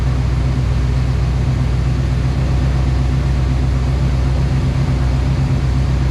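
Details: OBS Chevrolet Silverado truck started after sitting a long time, after topping off a very low fluid (owner suspects it explains the leak): low, steady, even idle hum with no knocks or ticks; runs smooth and quiet, normal idle.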